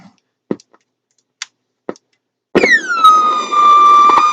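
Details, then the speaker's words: Ferris car/portable radio recovered water-soaked from a landfill: after clicks, a loud howl slides down to a steady shrill pitch, audio oscillation; a faulty feedback capacitor or resistor is suspected. "okay sounds like we got a feedback resistor uh feedback capacitor that maybe dodgy"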